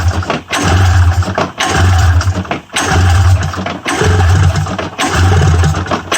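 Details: 1994 Polaris Indy 500 EFI snowmobile after priming fuel into the cylinders: spins over in roughly one-second bursts with pauses, never catching; has spark, crank-no-start, cause suspected, not confirmed.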